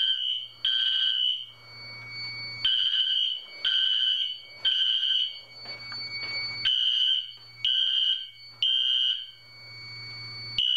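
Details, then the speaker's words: Fire alarm system test with Wheelock and MT4 horns and strobes: shrill horn bursts near 3 kHz at uneven spacing, out of step, despite sync modules being fitted. The system's horns and strobes are not synchronized. "id the system test even though i have both knacks on wheelock sink both of those strobes do not sink nor does the horn on that one and the horn on the mt4 sink so this system is not going to be synced"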